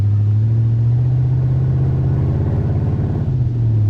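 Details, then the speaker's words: Ford Crown Victoria V8 pulled out of the weeds, running with no exhaust fitted: deep, loud, uneven rumble with raw open-pipe pulses swelling on revs; missing exhaust system. "I'll probably want to put an exhaust on it before I drive it anywhere, you know, really drive it anywhere, because I like it, but I don't think the neighbors would if I drove it around all the time."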